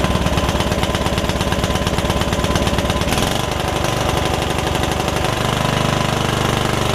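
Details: Free Yard Machines riding mower, engine that had filled with water after sitting with air filter off, first start after revival, valves not gapped: fast uneven loping, stumbling beat rather than clean firing; owner suspects running rich, rough running.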